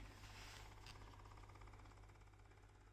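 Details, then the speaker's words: Dirt Devil Easy Steam Express II DDSTM1500 steam mop, opened up to remove mineral buildup on the heater after CLR descaling failed: quiet, steady low buzz with a light pulse as the pump runs freely and flushes dirt out, normal pump operation. "that's a good sign. That means the water pump is working. And look at all that dirt coming out of it."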